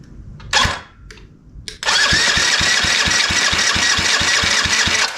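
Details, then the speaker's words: Yamaha restoration engine, cranking compression test with throttle open after checking timing: even, strong pulses about two to three per second, each stroke equally firm; compression reads about 160–165, good. "oh yeah that's more like it dude that is that is good compression over 150 so we're at about 160 165"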